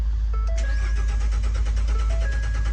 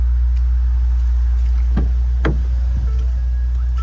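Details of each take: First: 2014 Ford F-150 that ran fine the night before; starter turns the engine steadily for three seconds but it never fires, no codes stored, no fuel reaching the engine; crank-no-start from a blown fuel pump fuse. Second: 2014 Ford F-150 that wouldn't start, with no codes, suspected fuel pump power issue; runs after the fuel pump fuse was replaced with a 30A (spec 20A): a low, steady engine hum under cab chimes, no stumbling, running normally.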